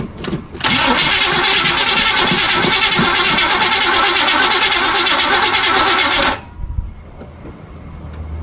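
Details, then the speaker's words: 1976 Chevy Cheyenne C10 4x4, long-sitting, cranked with ignition off then with premix in carburetor: steady fast starter whirr about six seconds, even beats, never catches; crank no start because the distributor was left disconnected. "No fire. There is no fire. Oh! Remember earlier when I was testing to see if there was power at the distributor? Well, I tested it for power there, but I didn't hook the distributor back up."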